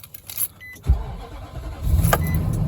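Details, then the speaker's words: 2005 Nissan Armada SE 5.6 V8 4WD, cold start at 26°F: key chime, starter catches, deep even low rumble with no knocks or rattles; runs good, normal cold start. "Oh, yeah. Man, she sounds pretty darn good."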